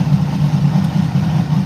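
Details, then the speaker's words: LS L33 engine rebuilt with new bearings, on its first heat cycle, warm, ambient roughly 40s–50s °F: smooth, even low rumble at idle with no knocks or ticks. Sounds healthy; normal idle. "letting go to bike once or twice shaking it down a little bit seeing what it does sounds healthy"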